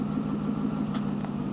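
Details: Chevrolet Corvette with a P0300 code; an in-cylinder test showed the injectors firing at the wrong time. Warm idle with a slightly uneven, stumbling beat under a steady hum while the cam and crank sensor signals are scoped for correlation. The cause is suspected, not confirmed.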